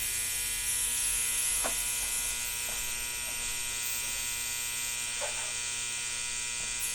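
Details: 1960 Zenith X519 clock radio during repair, alarm switch confirmed closed: harsh, steady electric alarm buzz holding one pitch throughout; alarm buzzer sounding as it should.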